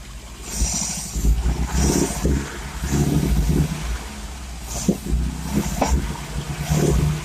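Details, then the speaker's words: Cold engine, half choked, after timing chain and cover seal replacement; coils, leads, plugs and electronic ignition module are new. Lumpy running surges and sags with sharp exhaust pops: misfire with backfiring, owner suspects an ignition problem. "so I think it's a it's a firing problem it seems to be it seems to be backfiring a bit I'm sure there's some sort of ignition problem"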